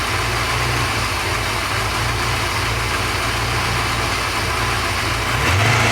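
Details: Porsche 928 V8 after oil pump work: smooth steady idle, no whine, quick blip near end revs cleanly; all sounds good. Normal idle.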